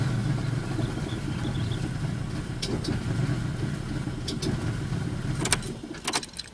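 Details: 2000 Pontiac Bonneville SE: starter churns engine over in a low, steady grind that never catches; cranks repeatedly but will not start.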